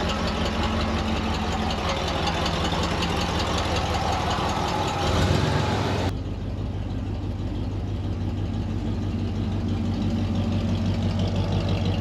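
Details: Ford 302 V8 Econoline van, cold start after replacing bent #5 intake pushrod (suspected stuck valve), dual exhaust. Steady idle on all eight cylinders, no clatter, only slight cold-start roughness; normal.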